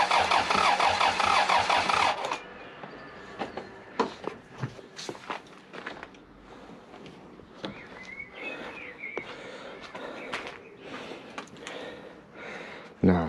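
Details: Short burst of starter cranking, then scattered clicks and knocks with no catch from a 3S-GTE Corolla running pure methanol, first start attempt after two years with fresh oil; it has some compression, cause suspected, not confirmed.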